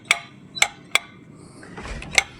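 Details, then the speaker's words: Satellite/submersible water pump tank float switch, pump switched off below, tank empty: sharp single clicks at irregular intervals as the float is pulled by hand; float switch snapping over normally. "Saya tarik pelampungnya dan switch-nya berbunyi. Ya, ini berbunyi."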